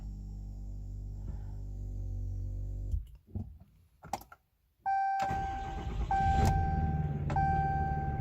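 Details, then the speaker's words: 2018 Ram 2500 diesel right after a fuel filter change, fuel level not yet back to normal: steady idle, then a short crank and the engine catches straight away and settles to an even idle; normal start. "Well, I guess that's good. Fill it back up. Everything is fine."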